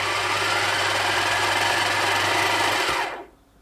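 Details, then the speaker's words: Bernina Record 830 sewing machine winding a bobbin with a loud, harsh, raspy hiss and whirr that goes away when the winder is disengaged; fixed by replacing the bobbin winder. "yeah, it's quite a harsh noise coming from the bobbin winder there."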